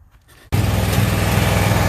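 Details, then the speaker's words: Toro zero-turn mower, about a year old, in for a no-start issue, cutting grass with the choke slightly out: runs rough with uneven heavy thumps breaking the steady drone; engine backfire, one side suspected of skipping. "here it is back fire"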